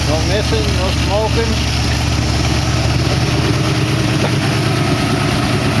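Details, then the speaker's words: 1914 Dodge T-bucket engine warming toward thermostat opening, about 180 degrees, 40 psi oil pressure, water pump working: steady, even low idle with a regular beat, no knocks or misses; sounds good. "Whack it one. Sounds good. Well, motor doing its thing."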